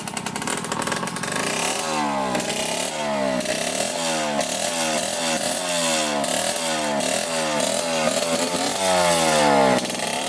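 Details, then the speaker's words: Yamaha YSR50 two-stroke after fixing its problem (new stator being ordered, flywheel already swapped), idle tuned: crisp buzzy engine blipped up and down repeatedly, picking up cleanly and settling back each time; running healthy. "all right let's attempt to start it up I think we've got tuned up pretty good on the idols pretty good see here"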